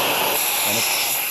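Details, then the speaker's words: Air compressor with the pipe removed: a steady strong hiss of air escaping back through the unloader, mistaken for a bad pressure switch; the check valve isn't seating and needs replacing. "can hear air escaping uh if you put your finger down below the unloader near the base plate of the pressure switch you can feel the air there um which makes people think that the uh switch is what's bad and it's leaking through the plate"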